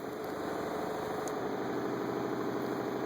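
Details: Methanol injection pump running with boost control solenoid grounded: steady electric hum, constant mid-pitched tone, even buzz, no surging or rattle; flow sensor sends a good pulse-width signal, pump running normally.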